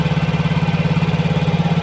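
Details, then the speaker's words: Yamaha Mio GT fuel-injected scooter after new injector fitted: fast, even idle pulsing near 1900–2000 rpm instead of settling; injection 1.0 ms, mixture trim -7 from CO/fuel setting at 15%, so idle high and fuelling richer. "Jadi -7 ini berkaitan dengan tadi setting CO berada di 15%, makanya stasionernya tinggi. Karena hitungannya lebih boros."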